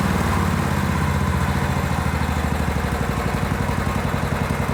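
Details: John Deere GT225 lawn tractor bought not running, first start after getting fuel to the filter: the engine catches and settles into an even, steady pulse with no stumbling or misfire. Normal running.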